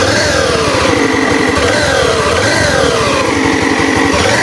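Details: Honda Beat FI eSP scooter; loud droning hum rising and falling with throttle, sounds like CVT but cause is worn connecting rod big-end bearing, confirmed on teardown.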